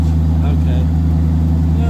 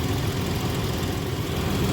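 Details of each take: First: 1982 Ford Granada coupe idling with a loud, deep, bass-heavy drone from two significant exhaust leaks under the car at rotted flanges needing repair flanges. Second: 1982 Ford Granada coupe after repairing exhaust leaks: steady even low idle rumble with no puffing, ticking or hissing, exhaust sealed and quiet.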